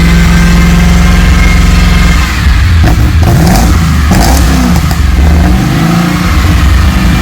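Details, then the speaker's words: Rebuilt Holden VT Clubsport V8 on first start-up, base timing set, bigger injectors, running rich. Loud, lumpy running with an uneven beat and a couple of stumbling revs; sounds like a misfire, and owner suspects the cleaned, previously failed plugs. An injector was later found leaking. "sounds like it's got a Mist doesn't it me but um it might be the plugs"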